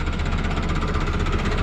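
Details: Tofaş Doğan that ran on petrol but not LPG, after a wiring fault was found and fixed: smooth, regular low thrum at idle with no stumble, misfire or hunting; runs cleanly.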